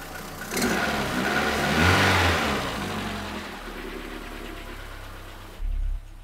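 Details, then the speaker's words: Renault Twingo engine with poor cylinder 4 compression after valve clearance adjustment and valve stem seal replacement, warmed to closed loop: revs then idle stumbling with occasional misfires; old blackened cylinder 4 spark plug distrusted, cause unconfirmed. "que vous en dites sur twitch al c'est mieux mais c'est pas idéal vous entendez il y a quelques ratés hein"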